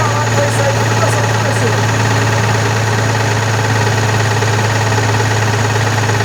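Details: Constellation 19320 truck diesel idling after engine rebuild (new piston, rebored cylinder), steady idle with loose, uneven tapping about three times a second; possibly air compressor noise, timing gear play also suspected.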